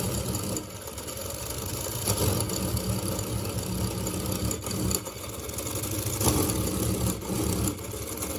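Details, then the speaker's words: Engine without a dynamo on a continuous running test since 6 a.m., at 02:27 the next night, having shifted position since about 23:00: rough, limping beat sagging every couple of seconds; severe uneven running that the owner attributes to the gears. "Mesinnya udah pincang parah suaranya dan ini posisi udah kegeser dari jam 11 kurang tadi ya."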